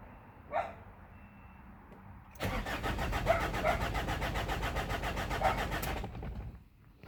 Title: BT50 3.0 no start, no codes. Low fuel pressure. Failed pump